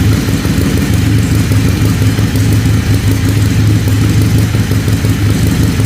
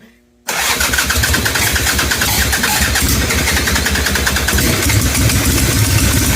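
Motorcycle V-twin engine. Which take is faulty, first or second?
second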